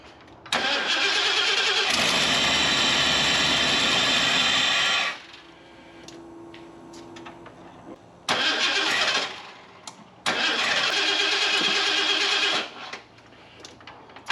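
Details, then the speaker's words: Ford F250 that sat disassembled for several years; new ECU installed, timing off a lot. Three long bursts of steady starter whirring, engine never catches: crank no start, fuel present but injectors not firing; harness suspected, ignition control module unlikely. "All right. Well, so we have fuel. Injectors are still not firing for some reason."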